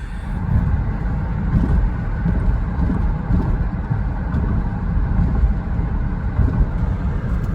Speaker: Then I took her to the doctor, and it started misfiring real bad on the interstate. This is the problem.